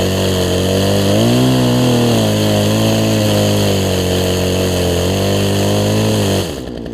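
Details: Poulan Pro 18-inch two-stroke chainsaw revived after a pinched fuel line at the carburetor was fixed, chain newly fitted, cutting a log: high buzzing note dips and recovers smoothly as the chain bites; normal running under load.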